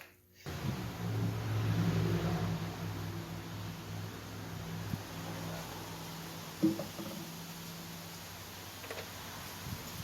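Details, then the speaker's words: Old Snapper self-propelled push mower, spark and compression confirmed, primed with fuel: small single-cylinder engine fires and hums steadily, then fades over several seconds, running only on priming fuel before carburetor cleaning. "Good, it will run."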